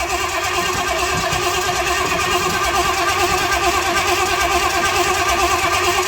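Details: 1979 Pontiac Trans Am with freshly overhauled 400 V8 on first start through open headers: loud, lumpy, uneven idle that hunts a little; running rich, idle needs raising and fuel taken off.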